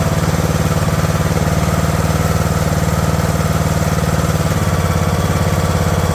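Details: Craftsman LT2000 riding mower, single-cylinder engine at a slow idle after the throttle linkage was straightened: even putter about four beats a second, holding steady without hunting; normal idle.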